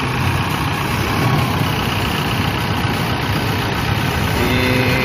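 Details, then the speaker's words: Toyota Innova 2KD diesel at idle during alternator charging test: even smooth diesel clatter, no misses, knocks or whine; cranking above 11 V, charging test OK at 13.81 V. Normal idle. "We will start the car engine first, let's start the engine !!! The car engine is on."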